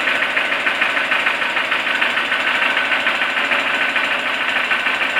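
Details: Toyota 4E-FE engine that has suddenly started knocking: a steady idle with a sharp regular knock of about three per second over the engine note; an internal knock, and the owner asks what could cause it.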